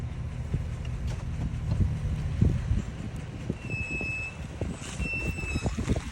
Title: Brake noise after full stop or coasting to a full stop ram 1500